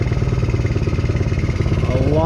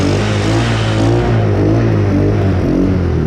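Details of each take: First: 125cc Chinese kids' ATV after carb clean and new spark plug, idle adjusted down, air filter off: quick, regular even putter picking up smoothly with throttle, revving freely, much smoother with more RPM than before; normal running. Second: Chinese 125cc kids ATV, hard starting, carb mixture screw just set about four turns out, before spark plug change: small engine revs unevenly, lumpy and stumbling, then dies; rough running blamed on worn spark plug.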